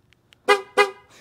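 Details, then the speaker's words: 2015 Ford Fusion 1.5L EcoBoost horn after cleaning corroded terminals at the horn plug with contact cleaner: two short, clear toots with a strong, steady tone; horn working normally again. "hit it with contact clean out see if she does look at that i got my toot toot back"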